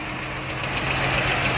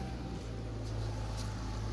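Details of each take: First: Hot 3.6 Pentastar V6 at idle, 184 on display: light, fast ticking over the idle in step with engine speed; valve train tick suspected on one bank, possible camshaft lobe wear, unconfirmed before valve cover removal. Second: 3.6 Pentastar V6, 184k, after replacing a broken rocker arm on intake side: smooth low hum at steady idle 25 minutes later with no valvetrain ticking; normal idle.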